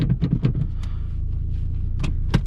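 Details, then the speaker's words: 1999–2005 VW Jetta 1.8T with bigger turbo, first startup after new turbo bolt locking flanges and new exhaust (aftermarket header had loosened turbo bolts); steady, smooth, even idle, no ticking, engine sounds healthy. "car sounds good wow i can't get over how much boost this thing produces with partial throttle"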